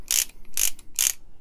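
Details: Comparison torque wrench, likely a Pittsburgh, possibly a 36-tooth ratchet, worked by hand against the new Icon: four quick bursts of sharp, coarse clicking, each a short hissy rattle; a rough, cheap-feeling mechanism that doesn't sound as good.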